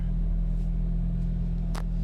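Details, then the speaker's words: Hyundai Getz after replacing the IAC valve and TPS, just restarted with headlights and aircon on: smooth, steady hum at a slightly raised idle around 1,200 rpm with no hunting or surging; normal idle. "So normally pagkaka-start niya nasa 1.2."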